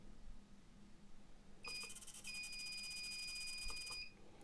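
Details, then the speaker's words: UNI-T UT501A insulation tester on a bulb test at 1000V: a high, piercing beep held for over two seconds as the tester flags an insulation problem. Lower voltages showed nothing. "Przy 1000 już urządzenie stwierdza jakiś problem ale mamy jeden kuma 71 więc stawiam na to że tym urządzenia nie idzie szkodzić"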